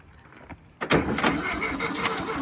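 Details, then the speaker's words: 1968 VW Baja Bug barn find, first start after decades with ignition hooked up and a little gas poured in: weak-sounding starter cranks quietly, then the engine catches with loud, ragged, uneven pops, sputtering briefly on the poured fuel. "Little bit of gas. Just to see if it'll kick. That's all we want to try right now. I think it fired there, don't you think? I don't know."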